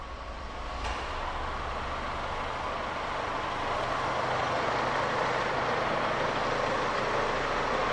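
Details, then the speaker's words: Renault car (per description) idling with air conditioning switched on while watching pressure rise from 6 to 11 bar: steady, even idle under constant fan rush, no knocks or squeals; normal idle with AC on. "мы запустили автомобиль включаем кондиционер с иден за ростом давления"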